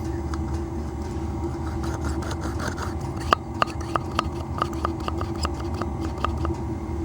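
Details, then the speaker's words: OS .91SXH C Spec engine from a Thunder Tiger Raptor 90 RC helicopter, seized engine freed with heat and WD-40, rocked by hand near mic: sharp light clicks, about three a second, showing play in the big end; a new conrod is needed. "the big end is knocking, so there's play on that big end. So we're going to need to order up a conrod."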